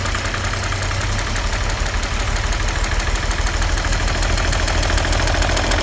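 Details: 1940 Chevy 216 inline-six idling with oil pressure about 5: steady, heavy knock roughly twice a second, loud over the idle; worn crankshaft bearings, engine needs a rebuild.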